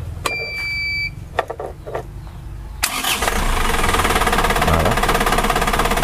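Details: Isuzu Traga diesel, start after shifting the injection pump slightly away from the engine for more torque: a few clicks, a quick crank, then an even, steady idle near 200 beats a minute; sounds healthy and smoother.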